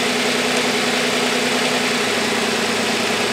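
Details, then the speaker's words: V6 car at idle during a power balance test with the cylinder two coil pack disconnected; idle drops lower and goes slightly uneven and lumpy; running on five of six cylinders. "and you hear a reduction in the RPMs now the car is running on 5 out of 6 cylinders"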